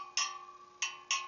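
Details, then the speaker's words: Loose motorcycle wheel spoke, freshly relaced, tapped before truing: four sharp metallic pings, one ringing lower and duller than the rest, marking the loose spoke, which then gets a third to half turn to tighten. "And we're going to hear there's a little bit of a difference right there. This spoke is just a little bit loose, so we're just going to put a half a turn on that, if that, maybe a third of a turn."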